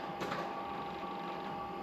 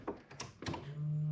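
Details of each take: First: LQ4/LS3 build, key-on priming while fuel lines are checked for leaks, and a leak is then spotted: thin, steady high whine for a couple of seconds. The fuel pump may have slowed down, or the battery may be running low. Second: LQ4/LS3 engine build, first key-on about six years after assembly, after a fused ignition power wire was added at C101: a couple of light clunks, then a steady low hum as the electric fuel pump primes; normal.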